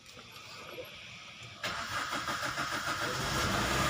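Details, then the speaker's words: Maruti Swift Ritz with starting problem, scan tool reading fuel pressure: quiet cranking, catches at once and settles to an even idle; normal start, pressure rising to about 14,000. "நான் வண்டியை start பண்ணிட்டேன். வண்டியோட pressure இப்போ எவ்வளோ வருது பாருங்கள்."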